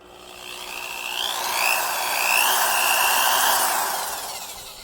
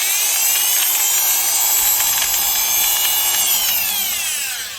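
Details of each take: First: Quarter-inch drill running for reference: smooth motor whine climbs quickly to speed and holds a steady, even pitch with no grinding or knocking; healthy drill sound, unlike the worn-gearbox unit. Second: Milwaukee Magnum Hole Shooter #0300 drill: a high gear whine with a rough, gritty edge as the motor spins down. The gearbox came loose or was treated harshly, and broken alignment pins let the gears misalign. The screw holes are stripped.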